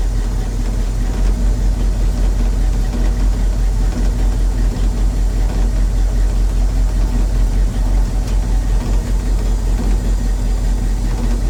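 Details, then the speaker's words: 1983 Chevy C10, 350 small-block V8, during tune-up: low loping idle with an uneven lump about every half second because two spark plug wires were crossed; misfire from crossed spark plug wires. "Alright, man, we had the wires crossed. We're gonna try it again."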